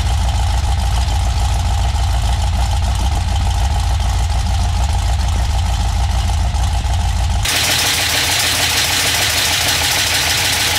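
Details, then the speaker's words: 6.0L LS V8 with stripped 2000 Silverado harness, first start: fast light ticking knocks over the rough run, keeping pace with the crank; dipstick end caught the windage tray and was struck by the crankshaft, fixed by straightening it. "The end of the dipstick caught the windage tray and then got sucked up underneath. So the crank was coming around and hitting the dipstick."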